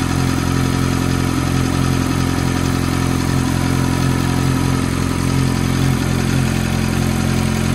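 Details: F430 V8 at cold-start idle: a light, regular tick of about four per second rides over the fast, even idle; cause of the ticking unknown.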